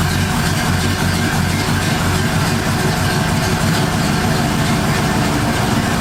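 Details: 1978 Ford Fairmont Futura inline six after GT40P head swap, Holley two-barrel carburetor, just started: steady, even low rumble at idle with no misses or knocks; smooth and healthy, vacuum in the green, electric choke may need adjusting.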